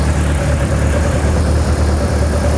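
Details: BMW M42B21 four-cylinder engine ("Mighty Mouse", E36 build) just started after oil pump replacement: steady low idle with an even beat, no knocking or rattles, oil pressure up. Normal idle.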